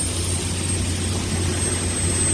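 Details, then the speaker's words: Corn grain dryer gas burner running at a fairly good speed with dry corn: deep even roar from burner and fans, no surging or popping; the valve constantly adjusts the flame to hold temperature, operating normally. "The valve here is constantly adjusting the flame. Up there it's bigger to keep the temperature right inside there."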